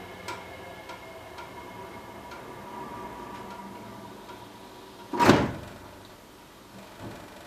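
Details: Recently installed Worcester Greenstar Ri boiler heating a hot water tank: quiet ticking and faint hum, then one loud sharp bang as it ends a heating cycle, with hissing before or after; owner asks if normal.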